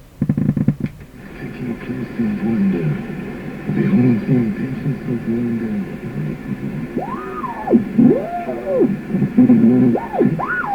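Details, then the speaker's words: Canadian Pye Model 39HC radio under motorboating repair, shortwave with the antenna connected: a squealing heterodyne whistle swoops up and down in pitch right on top of a faint, garbled station. "you can hear a station here unfortunately that heterodyne is right on top of it"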